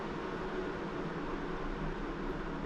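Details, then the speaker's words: Titan RV roof skylight fan cooler, newly installed, remote stepped down from max through 60% toward 40% speed, blowing in: soft steady airy hum, no ticking, rubbing or wobble; fan running quietly and evenly at low speed. "20%, well, you wouldn't know it was there. But that's what you want."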